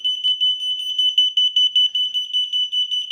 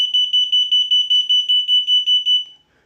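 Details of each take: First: But you'll see just like that sound. um that beeping sound uh sets off the alarms. But um you know, even if there's no no vibration. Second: Unicycle anti-theft alarm under A/B testing: a shrill, high-pitched pulsing alarm of about a dozen even chirps in two and a half seconds, then it stops; the alarm sounds normally.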